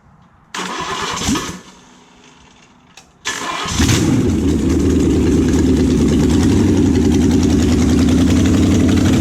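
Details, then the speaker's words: Junkyard Oldsmobile 350 V8, sat for years, first start on an engine stand with no cooling water: it cranks, stumbles, then fires to a fast, uneven, loping idle. Missing at idle; owner expects it to clear with longer running. "yeah I mean it's kind of missing at an idol but I think you know if we had it all hooked up to water and we could just let it sit and run I'll bet it's gone"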